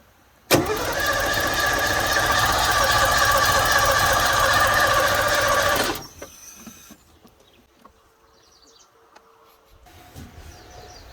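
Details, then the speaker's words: Supercharged 1991 Ford Mustang 5.0L LX, after running with a knock: the starter spins evenly and fairly quickly for about five seconds but it never fires. Fuel gauge shows some fuel; oil turned milky; cause not confirmed. "that's strange now it won't it wouldn't just run out of fuel that just like that"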